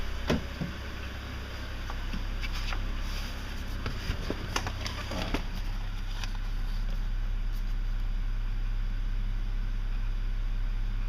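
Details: 2006 BMW 330i E90 with knock that began at cold start six months ago and is now constant: steady idle with a light, fairly regular tapping knock, described as diesel-like; cause undetermined.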